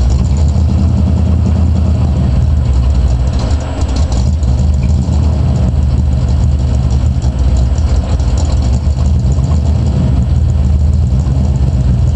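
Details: 1986 Chevrolet Camaro IROC V8 at idle: deep heavy rumble with a dull steady knock buried in it; owner suspects rod knock, not confirmed. Knocking at idle.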